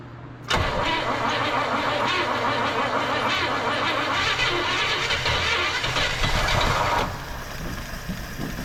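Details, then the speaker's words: 1958 Chevrolet Bel Air off the road since 1993, after filling the carb bowl with fresh gasoline: catches at once and settles into a smooth, quiet, even idle with no ticking or knocking, barely any smoke; normal start and idle. "Hey, he's a runner. Is that running off the carburetor? Oh, it's nice and quiet too. Oh, that was amazing."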